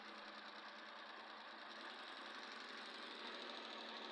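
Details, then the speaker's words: Suzuki K6A engine after replacing the spark plug that caused a misfire: a steady, even idle with a light mechanical patter, no stumble or shake. The misfire is solved and the idle is normal. "As you can see now, the engine is no more shaking. The engine is stable now."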